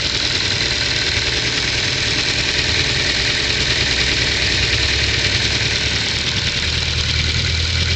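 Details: 2010 Ford Focus 2, 1.6 L 100 hp, cold start: light, fairly quick ticking over idle hum, disappears once warm; owner suspects valve clearance needs adjusting with bucket or shim replacement.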